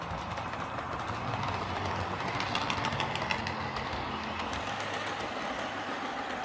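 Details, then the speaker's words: Lima Eurosprinter model locomotive, once screeching, running on the layout: soft, even growling hum from its big motor over light track clicks, no stutter or grinding; smooth and healthy. "It's got that great big motor in it, and it makes quite a nice growly humming noise as well."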